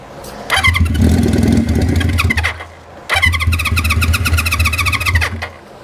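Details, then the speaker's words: 1973 Honda CB350 Four on starting fluid with choke, fuel not reaching engine: fires and runs roughly about two seconds, dies, catches again briefly, then stalls; carb jets suspected to need cleaning. "I don't know about you guys but that sounded like a running motorcycle it sounds like it needs a carb clean but that sounded like a running motorcycle"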